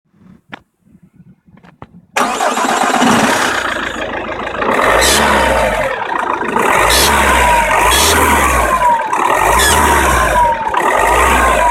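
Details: 1.9 CDTI diesel, cold start: cranks and catches, then a thin, wavering squeal rides over the idle clatter and stops after about a minute; the cause is unknown.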